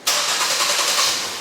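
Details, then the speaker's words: Engine cranking during fuel-system diagnosis, with the fuel pump slowed by 2 ohms of series resistance (about 3 A draw). Steady fast cranking runs on without catching. Fuel pressure is good but volume is low, so it won't start. "oh we almost had pressure is good volume is evidently low because it's not starting"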